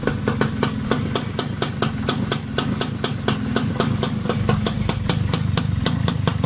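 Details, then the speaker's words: Healthy two-stroke exhaust on a Yamaha Y100 after a new racing coil and plug and silencer carbon cleaning: even crisp popping about four or five a second, fuller and less harsh than before the silencer service. "Tadi dia lagi bising, lagi tang. Ni bunyinya lagi padat."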